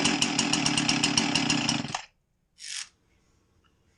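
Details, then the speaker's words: Husqvarna 346XP chainsaw that wasn't running right: screams high and fast with a rapid pulsing buzz, then cuts out; air leak at the cylinder base gasket because the cylinder screws came loose, gasket to be replaced. "Alright, so we have an air leak. Cylinder base gasket is leaking because the cylinder screws came loose."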